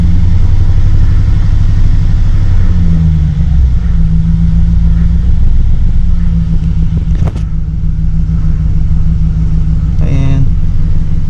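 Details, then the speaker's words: 2008 GMC Sierra at idle with P0300 random misfire code: loud, deep, lumpy idle with occasional skips, missing on a cylinder; scanner later flags cylinder 7. "when i tell you it's not running right now show you let you hear it it's skipping it's missing on a cylinder"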